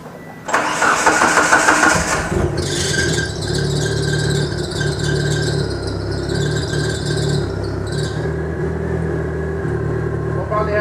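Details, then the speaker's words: DSM on Haltech ECU with stock DSM coils resting on the manifold, before K-series coil-on-plug swap: brief crank, then catches cleanly into steady, even idle with no misfire or stumble; normal start and idle; pump may need replacing. "but as you can hear, she fires up. We do have the DSM coils currently right now, just resting on the manifold."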